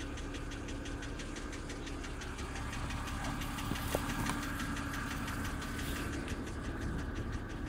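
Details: 2007 BMW X3 cold start: a steady ticking knock about three per second over the idle rumble, loud enough to hear in the closed cabin; oil level reads full, and the cause is unknown.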